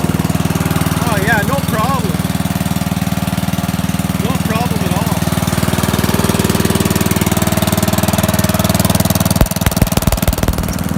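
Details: Old Murray riding mower, cold start: steady, even single-cylinder thump about 146 per minute, no misses or knocks; runs, rides and cuts well.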